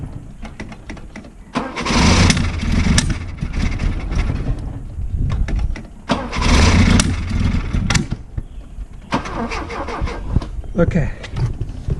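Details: Opel GT 1.9L freshly rebuilt engine, ran fine on test stand months ago; cam and ignition timing, distributor, carburetor, valve lash, points gap checked, compression about 140: three long steady cranking bursts, engine never catches; extended cranking, no start.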